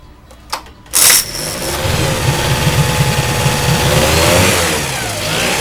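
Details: Yamaha 9.9 four-stroke outboard in a test tank, with a manual choke added because the electric choke set-up was weak and starting was hard: with the choke pulled it cranks briefly, catches and settles to a steady even run. Starts cleanly.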